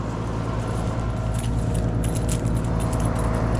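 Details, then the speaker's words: 24-year-old Carrier heat pump outdoor unit not cooling: heavy, labouring low hum with a rough edge and no fan whoosh; the compressor strains on high head pressure because the condenser fan motor isn't running (burnt contactor, capacitor in a box found). "You can hear that noise when it's starting to go out on high head pressure and the condenser fan's not running."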